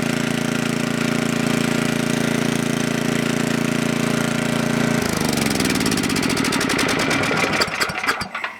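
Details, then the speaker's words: Coleman Powermate Maxa 5000 ER generator at half choke with a 110 V light connected: steady drone turns lumpy and slows until it stalls, fuel-starved; needs carb cleaning or carb adjustment. "Alright, from what I can tell, there's nothing wrong with this machine, other than it needs a good carb cleaning, because it cannot stay running unless it has a backflow issue."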